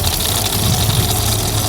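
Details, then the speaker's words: Tankless water heater flush, circulation pump pushing 1 to 1.5 gallons of vinegar through the unit for 30 to 45 minutes: steady, even low hum with rushing flow and no knocks or surges. Normal pump running. "So now that we got everything hooked up, all we have to do is plug the pump in. Now you can hear the pump running."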